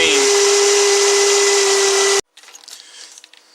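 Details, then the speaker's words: 2009 Toyota Camry idling: loud steady high whine with strong vibration, then cutting out abruptly; alternator whine from a bad alternator producing only about 13 V. "that loud wine noise is what i'm referring to you can feel it it's like vibrating real bad"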